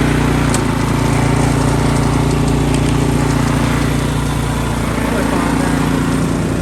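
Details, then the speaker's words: Ariens Deluxe 28 snowblower after swapping its 254cc LCT engine for a 369cc LCT from an Ariens Platinum 24, first start; loud steady single-cylinder chug at a fast even beat with no misses or knocks. "Right now I'm going to fire it up and see if everything works the way it should."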